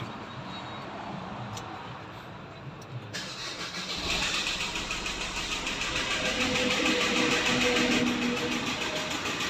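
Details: Suzuki Ertiga diesel cranking and idling: steady quick knock about three per second over the diesel clatter; crankshaft noise suspected, unconfirmed; engine knock at idle.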